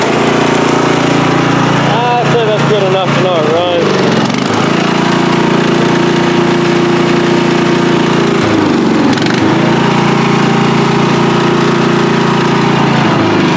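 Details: Free riding mower, tank previously drained, running after flood-prone start attempts with fuel clamped off to stop flooding: steady, even-pitched single-cylinder drone dipping briefly twice and recovering cleanly; runs fine.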